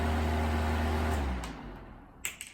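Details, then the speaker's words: 1980s Super dehumidifier, new replacement fan motor (original had badly worn bearings) tested alone, temporarily wired, cabinet off: strong, steady low mains hum for about a second, then it switches off and coasts smoothly down; healthy. "so we'll plug it in and see if it runs nice oh wow that's a lot of power"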